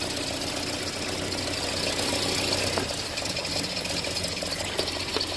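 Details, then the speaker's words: Land Rover Series engine at a quiet idle after tappet adjustment: light, fast ticking, a few per second, steady with engine speed. Suspected exhaust leak at the downpipe bolts mimicking lifter tick; unconfirmed. "Yeah, I can hear that. Guess I'll have to investigate that later."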